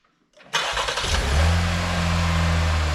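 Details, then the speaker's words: 2022 Chevrolet Blazer rebuilt after a crash, engine reinstalled, first start before test drive; short crank, fires right up and settles into a steady, even low hum with no knocks or misses; normal start and idle. "That's a good sign. Yeah, fired right up, eh?"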